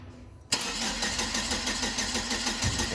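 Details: Hyster S70FT forklift with GM Vortec 2.4 engine, complaint of no-start and misfire (timing suspected): starter spins steadily but never fires; scope shows abnormal coil current near 9 amps, traced to shorted ignition coil.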